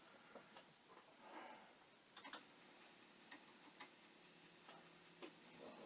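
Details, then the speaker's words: Commodore 1541 disk drive (test drive's mechanism on the faulty drive's board and power supply), stepper motor assembly screws loosened to reposition: faint irregular ticks and sharp knocks over quiet hiss as the head slams its stop on retries; head banging, failed read. "but maybe with the head banging and other such things i would just like to move it something to the right position but i don't believe that"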